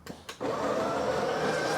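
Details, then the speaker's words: Breville 870XL espresso machine grinder test: a couple of clicks, then a smooth, steady high whir with no catching or labouring. The grinder works normally with the grind amount correctly set between 7 and 8. "so looks like the grinder is working okay uh the grind amounts are in a correct position usually it's between uh 7 and 8 so that's about right"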